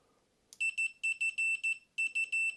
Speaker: if you touch your leads, it'll give you an audible readout. When you hear that noise, you know that it is connected, it's all good.